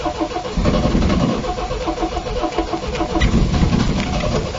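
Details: Long-stored MGB GT restart after cleaning out a mouse-eaten air filter: the starter churns at about four turns a second for several seconds before the engine fires; long cranking.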